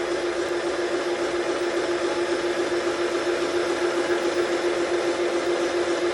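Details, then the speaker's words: Milling machine boring a VW Type 4 aluminum case for big bore cylinders, power feed at 0.006 in per revolution with lubricant: steady hiss of the cutter making a smooth cut, plus low churning from the back gear's bull gear. "so there's two distinct noises you'll hear here you'll hear a hissing from right here that's the sound of the cutter that's making a really nice smooth cut right now"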